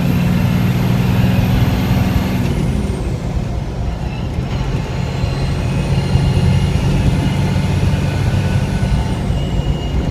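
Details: FZJ80 Land Cruiser with Cummins 6BT diesel swap and NV4500 manual, cab test drive: fairly quiet steady deep diesel drone with faint turbo whistle rising and falling, little rattle, normal running.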